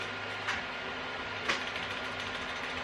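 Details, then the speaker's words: Clone RC crawler axle, degreased, ring gear turned by hand; gritty whir with sharp metallic ticks about once a second, metal on metal because a shim is missing; loose ring and pinion mesh. "do a couple rounds first I can hear it ticking sounding metal on"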